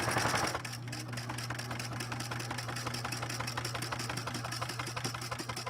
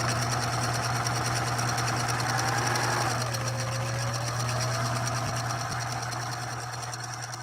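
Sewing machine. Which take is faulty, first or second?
first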